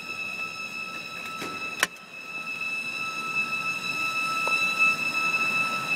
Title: Whining noise outside.MOV